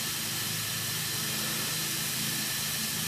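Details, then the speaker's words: Evap smoke tester with a tiki torch wick, air supply turned up before hooking up the battery: steady, even airy hiss with no pulsing or sputter; air flow judged by ear to be a good amount. "you can kind of do this enough you start to kind of even hear by sound how much air is a good amount"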